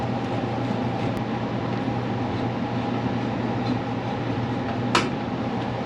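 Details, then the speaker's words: Furnace that shut down after 15–20 minutes, after free repair: burner lit and blower fan on, steady even roar with fan hum, no surging or cutting out; normal running. "Flame is on. And the fan is on."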